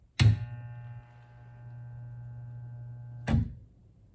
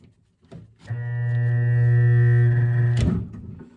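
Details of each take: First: Vintage L&A electric pressure washer barn find, switched to rinse: sharp click, steady low hum for about three seconds, another click as it drops out; rinse solenoid and small transformer engaging normally. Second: Vintage L&A electric pressure washer barn find, first plug-in with no ground: steady loud mains hum for about two seconds, motor does not turn; noise comes from a solenoid-like contactor in the controls, not the motor.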